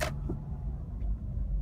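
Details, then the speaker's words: Mitsubishi Outlander (2000–05) driven slowly through dips, windows up, releasing the brake: sharp clunk, clunk over low road rumble from a worn transmission mount. "You'll hear it go clunk, clunk. There's the next little dip section here."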